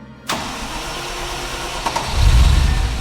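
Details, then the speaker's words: The starter churns steadily and the engine almost catches with a brief rumble but never runs. It seems to have a little spark and fuel is known to be flowing, so the cause is unclear: a crank no-start. "Oh, no. It kind of nearly went. Just give it a bit of gas, perhaps. It sounds like it's got a little bit of a spark."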